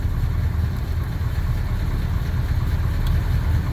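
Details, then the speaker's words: 1964 Plymouth Fury with Magnum roller-cam 360 swap and new steering box, set on the ground to load the steering; low steady idle with no pump whine or groan, the steering system is quiet and healthy. "No noise at all from the pump. I'm gonna set it on the ground and make sure it's that good with a load on it."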